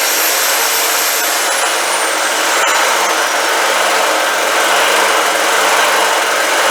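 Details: Old generator, dialed in; loud, steady buzzing drone holding speed without surging or knocking, running evenly and healthy.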